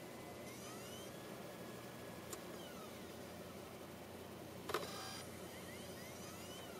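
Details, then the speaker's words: Mac Mini running Snow Leopard with 4 GB RAM, optical drive given a burned DVD; faint whirring rises and falls with sharp clicks, never reaches speed, then ejects the disc; retail DVDs still play; cause not confirmed. "I don't know what that sound is and it rejects it just like that nothing happens"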